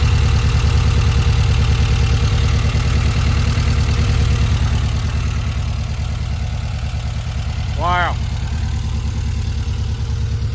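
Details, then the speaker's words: 1952 VW Split bus with freshly built 1904cc stroker air-cooled flat-four (74mm crank, 90.5mm pistons, replacing 1641cc), first start: steady even low putter, no knocks or misses; sounds good, valve adjustment planned. "Looks good. Awesome. It sounds good. probably we're going to do a valve adjustment later."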